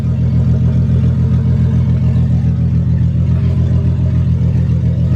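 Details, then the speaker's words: Nissan 240SX S13 with 555 hp 2JZ swap, after differential replacement and driveshaft reinstall, first start after three to four weeks: steady low engine drone, driveshaft spinning smoothly, no clunking on takeoff; driveline healthy. "so far so good no clunking nothing car's running perfect"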